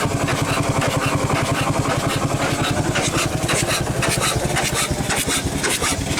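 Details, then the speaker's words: 100+ year old Chicago Pneumatic steam engine/air compressor, first run in decades with the cylinder head off: even chuffing about two beats a second with a constant hiss on every stroke; steam leaking past worn packings needing replacement. "gonna need some packings and uh probably just some package adjusted and stuff too but like I said it's been sitting for a long time"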